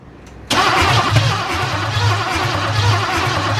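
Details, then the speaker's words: Cadillac 350 V8 (donk project) cranking after work on number one piston, fuel tank hooked up: steady low churning from the starter, no catch or speed pickup; owner suspects it's flooded and the battery draining. "okay all right i probably floated it and batteries draining so we're gonna charge the battery for a little bit and give it a second try"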